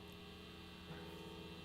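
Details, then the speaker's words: G&L ASAT Semi-Hollow BluesBoy guitar, middle pickup alone, not being played: a steady, low 60-cycle hum, constant in pitch and level, louder than the bridge pickup; typical single-coil mains hum. "Here is just the middle pickup. Listen to that, it's a little noisy, isn't it?"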